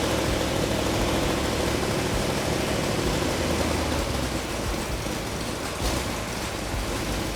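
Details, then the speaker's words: Rare 1971 Cuda V8 on the stand after timing set about 5–7° BTDC: loud, rough idle that sags and surges unevenly; carburetors running lean on the idle circuit, causing the faltering, richening planned. "They seem like they're getting real lean on the idle circuit. That's why it's faltering."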